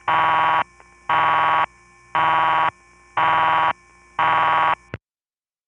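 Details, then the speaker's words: A night call in 1975-77 from the Riverside 9/850 No. 1 crossbar office in Manhattan, through Suburban Tandem: clean buzzing bursts about one a second with quiet gaps, as the tandem pulses normally to the Gedney 6 panel office. "It goes through Suburban Tandem and it was made at night. So, this is an unusually clear tape of Suburban Tandem pulsing to the GDNY 6 panel."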